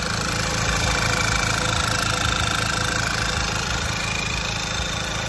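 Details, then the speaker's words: 2011 Volkswagen Tiguan after engine reinstall, first start, warmed up after burning off fumes: smooth, even idle with steady low beat, no knocks or misses; normal idle. "we finally finally for the first time got this thing fired up and it idled very nice and smooth after it um warmed up first obviously"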